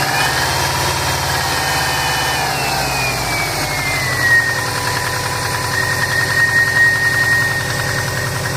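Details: 2005 Saab 9-2X Aero, 119K miles on engine, stage 2 COBB OTS tune, cold start high idle: faint rapid knock under engine noise with a whine slowly dropping as revs settle; owner suspects piston slap, data logging shows no knock.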